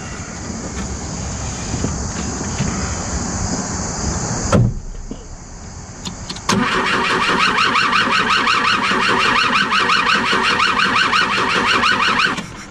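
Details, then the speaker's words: BMW 2002 after an engine fire and flooding through a leaky sunroof; starter spins the engine in a fast, even chug about six seconds without catching; owner suspects no spark, smells fuel: crank, no start. "all right try now i don't think she's sparking smells like fuel"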